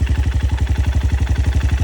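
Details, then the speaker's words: Honda CRF150L after one year of daily use, 16,987 km, seven months on a racing exhaust: even thumping idle about eleven beats a second, slightly rough as it was from new, no knocks or misses; normal idle. "Kalau menurut saya sih sama seperti barunya ya, kurang lebihnya sama, semuanya ada perbedaan pun mungkin sedikit, karena dari baru pun sudah seperti itu, suaranya agak kasar kan."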